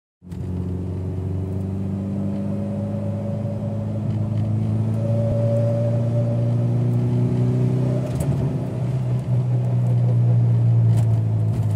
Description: Building boost and its a loud humming/howl noise